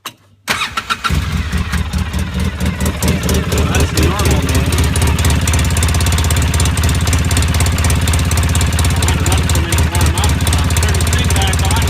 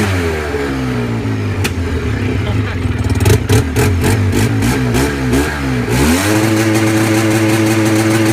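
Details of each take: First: Engine cold start before warm-up: cranks, catches within a second and settles into an even, steady low rumble; normal start and rev, though it later gets loud and backfires once warm. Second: Engine after a brief warm-up: loud, raspy revs, then pops and cracks in the exhaust each time the revs drop. Cause unknown. Exhaust backfire on deceleration.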